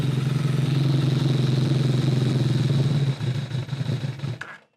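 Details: Kawasaki ZRX-1200 on rebuilt Keihin CVK carbs: low, lumpy, uneven idle that stumbles, misses and dies; lean at idle from a jetting problem. Cylinders 2 and 3 were first suspected of not firing.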